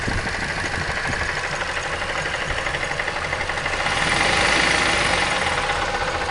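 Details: Mazda 3 engine idling with a heavy, steady knock about three per second; cause found: broken piston and sunken cylinder liner in cylinder four after a previous overhaul.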